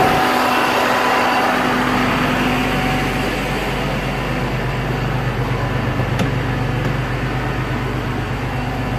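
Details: 2001 Jeep Cherokee Sport XJ, 4.0 inline-six, 234,000 miles, just after idle air control valve replacement: steady, fast drone near 1000 rpm that never settles, no knocks or misfires; owner suspects a vacuum leak causing the high idle.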